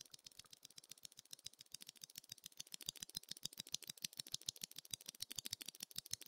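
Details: Ocelot R2 keyboard (FR4 plate, NovelKeys Cream switches, GMK keycaps) long key tapped about three times a second, giving quick sharp clacks with a thin rattly edge from stabilizer wire rattle. Lubed versus unlubed stabilizers are being compared.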